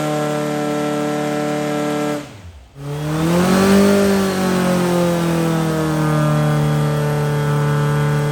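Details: Brand-new Powerhaus VW 2110cc air-cooled turnkey engine for a 1966 21-window bus, upgraded head, dual 44 carbs, on dyno after valve adjustment; catches, swings up in revs, settles to steady even drone, no ticking; normal running.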